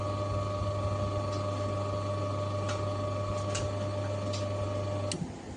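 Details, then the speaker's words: Haier-type inverter fridge with four sensors, Switch 1 double-pressed to force defrost: steady low compressor hum for five seconds, then a relay click as the compressor shuts off and the defrost heater turns on; normal relay switching into forced defrost. "Compressor of ஆகிடுச்சு, ஹீட்ரு on ஆகிடுச்சு ஓகேங்களா."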